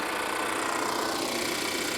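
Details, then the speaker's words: Volvo XC90 at a salvage auction, hood open, idling; steady buzzy mechanical whirr with fine rapid chatter, first mistaken for an air pump; engine seems to run fine but sounds abnormal, cause unknown. "That's the actual engine. It's not major, but I don't think it's supposed to sound like that. But it seems to be running fine, so I don't know."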